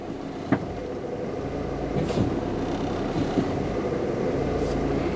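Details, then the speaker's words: Peugeot 206 petrol at idle with a sensor plug removed: idle rises slightly and stumbles with wavering beats and occasional thumps. Rough idle and hard starting; cause still unknown. "it's it's struggling a bit more while the idle is uh slightly higher"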